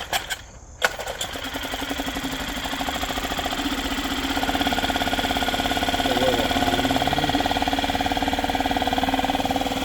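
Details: Yamaha 2.5 hp four-stroke outboard with a new aftermarket carburetor, idle checked in gear: after a pull start it settles into an even, steady putter with no misses or surging; it runs healthy.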